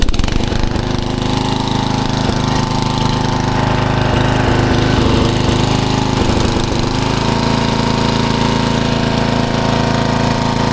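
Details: 1994 Troy-Bilt 34044 33-inch mulching walk-behind mower with Briggs & Stratton engine, found curbside: the engine runs with a hard, rapid metallic clatter following engine speed because the twin blades are mistimed, likely after a blade change, and hit each other.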